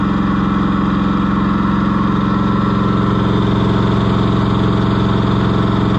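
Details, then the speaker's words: Cushman Truckster auction find, small engine idling after getting it running: even, steady, regular beat with no misses or stumbles, running better than before. Normal idle. "that is so cool it's running [Applause] better I hate to shut it off"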